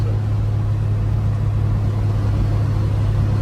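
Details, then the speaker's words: Mopar Slant 6 225 with Holley two-barrel carburetor, custom Comp camshaft and full-length TTI exhaust, automatic transmission, road test at light-throttle cruise after tires aired up: steady smooth low drone, no knocks or misses; healthy engine. "So here's that transmission. Cruising right along."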